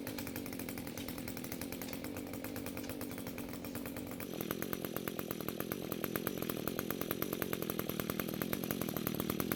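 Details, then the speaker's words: String trimmer that had spark, compression and fuel but wouldn't start, now fixed after replacing a suspected bad coil, fuel flow confirmed via primer bulb, carb untouched. Steady two-stroke buzz revs crisply higher with no misfire or hesitation; runs normally. "So it seems the trimmer is now starting and running just like it should be, and we didn't even have to look at the carb this time."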